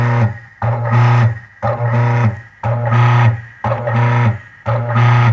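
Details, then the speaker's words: Maytag top-load washer control board on the bench, actuator in the orange wash position: the motor hum starts and stops about once a second in even back-and-forth strokes; normal wash agitation. "bien aquí empezó el actuador la posición color naranja es la posición de wise oposición para el lavado y allí va y van ahí se logró deberá comenzar a lavar"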